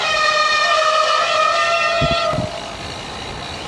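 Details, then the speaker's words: Bicycle disc brakes giving a loud, steady high-pitched squeal for about two seconds under braking; first ride after winter layup, bike stored indoors dry and warm, pads and rotors not thought contaminated; disc brake squeal. "that's the noise and it's really embarrassing"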